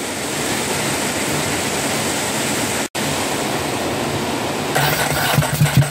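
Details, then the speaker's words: Ducati 749S that won't start, with wet plugs and strong petrol smell at the exhaust, cranked with the fuel pump disconnected to run it lean: steady starter churning that seems to fire slightly but never catches, so it is flooded. "like it's flooding but it still sounds like it's firing a little bit so I think we've got spark I think we're flooding"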